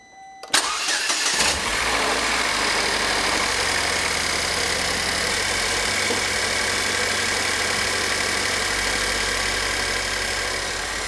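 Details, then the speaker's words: Pontiac Solstice at idle, part removed to listen to the high-pressure fuel pump before replacing it over a strong fuel odor; engine catches and settles with fast, light ticking on top; fuel rail pressure about 4.4–5 MPa; normal high-pressure pump tick. "I think what I'm going to do at this point is remove this and then start the car up, and we'll listen to the high pressure fuel pump."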